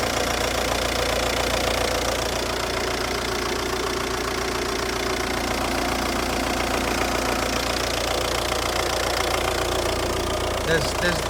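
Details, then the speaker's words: Audi 2.0 TDI (BRD) at 85,000 miles, oil pump and injectors replaced: diesel idle with a sharp metallic ticking clatter riding over the rattle, steady with engine speed, loudest from the exhaust side; the source is unclear. "there's this noise I I don't know what it is but it sounds very bad especially from the exhaust side under airport"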